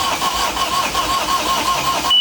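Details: Sailboat diesel engine starting just after its failed starter motor was replaced: the starter spins briefly and the engine catches promptly and settles into an even run, a clean, normal start.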